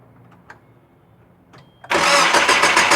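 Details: 2000 Nissan Frontier XE 2.4L: after a quiet pause the starter cranks fast and evenly, about three and a half beats a second, but the engine never catches; crank, no start.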